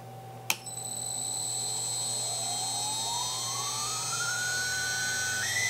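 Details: 2.2 kW water-cooled spindle, under warranty: the whine climbs in pitch as it spins up, over a constant shrill squeal. Spindle squeal; owner suspects bad bearings.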